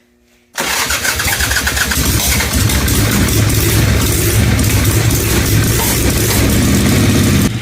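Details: Harley-Davidson Ironhead Sportster: catches and runs rough and uneven with irregular pops backfiring through the carburetor, carb dribbling fuel; ignition timing slipping from a broken timing cup, not the carburetor.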